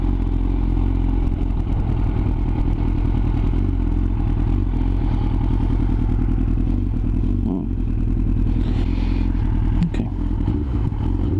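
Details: Yamaha R6 misfiring at low RPM: uneven stumbling idle with brief throttle blips; solved, cause was ignition coils not pressed down fully into place.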